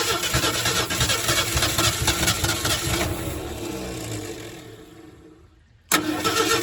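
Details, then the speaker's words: 1968 Ford F100, not run since 2001, spark now at the points: engine fires and runs rough for a few seconds, dies, then catches again on lawnmower fuel poured into the carburetor; runs only on priming fuel. "Oh, there it goes. Let's put drop a little more fuel down in there. Drop some of that lawnmower fuel in there."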